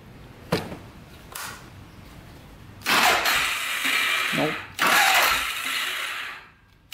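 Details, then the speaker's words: Polaris Sportsman 500 4x4 bought cheap as a non-runner with no spark: short, weak cranking bursts with a ratcheting, slipping chatter, engine barely turning over, too slow to fire; owner suspects slow cranking explains no spark, something going on with the starter gear. "that might be why it doesn't have spark it's because it's not turning over fast enough"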